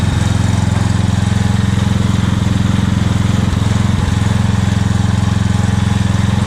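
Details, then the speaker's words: Revived old Scag hydrostatic walk-behind mower with a new carburetor and ignition coil: a smooth, even beat of about two per second at steady speed, no misses or knocks. The engine runs perfect, comparable to a newer Scag with 200 hours. "the engine's running perfect it actually runs as well and as smooth as my dad's newer skag that's only a couple years old with 200 hours so the motor seems great"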